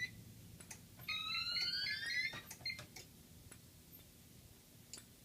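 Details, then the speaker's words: DMP XR-500 fire alarm panel in a mixed Gentex system after audible silence: faint relay clicks in threes (code 3) behind chirping keypad tones. "I don't know if you can hear that code 3 relay clicking noise in the background. That's coming from the XR-500."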